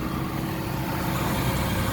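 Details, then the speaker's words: 2015 Daihatsu Gran Max 1.5 L four-cylinder, rear-wheel drive, manual, about 103,000 km, heard with the engine cover open: a steady, even low idle rumble with constant rhythm and no knocks, misses or surges, so the engine is healthy. "Pastikan bahwa mesinnya itu suaranya itu halus, ritmenya itu konstan, serta getarannya juga halus."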